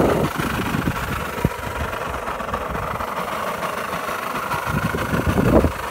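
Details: Kawasaki KSR50 on start-up: small single idling with irregular ticks and knocks over the steady putter; abnormal engine noise, cause not clear yet.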